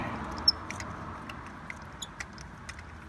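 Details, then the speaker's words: 2003 Toyota Avalon 3.0L V6, transverse: irregular high-pitched squeaks and chirps as a spark plug is turned out by hand ratchet, because it was originally installed without anti-seize. "you can hear that spark plug squeaking on its way out it didn't have any anti-seize put on it when it was originally installed it's struggling with me a little bit"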